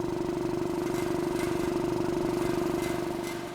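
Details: 200 L 3 hp single-phase air compressor after service. A rattle was stopped with a cable tie, and it now gives a steady, even chugging pump and constant drone with no loose rattle: normal running.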